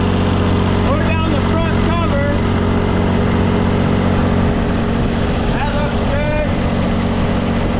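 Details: John Deere 355 diesel at a steady, even idle clatter just after a new water pump was fitted and refilled with 50/50 coolant, air still in the system; no knocks, misses or squeals, healthy idle.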